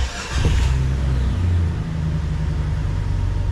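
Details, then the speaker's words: Jeep Cherokee XJ making a weird noise at startup: engine settles into low idle with a loose rattly undertone underneath; owner suspects transmission or loose exhaust, though everything seemed tight; cause unconfirmed. "when I start it sounds like it's coming from like transmission maybe loose exhaust but everything seemed pretty tight uh just kind of sounds rattly down here"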